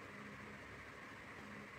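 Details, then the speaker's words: Polycab stand fan after new coil rewinding (16-slot, 3-speed), tested on the blue-wire high-speed tap: a steady, even whir with a faint hum and airy rush, and no knocks or scraping. The rewound motor runs normally at high speed. "এতিয়া ৰঙা ৱাইৰডাল ল' speed, এইটো এডাল বগা why medium speed. High speed."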